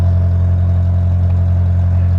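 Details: 1996 Kia Sportage with aftermarket muffler, possibly a Cherry Bomb or similar: deep, steady, loud low drone with almost no treble; the cheap straight-through muffler makes the exhaust boom.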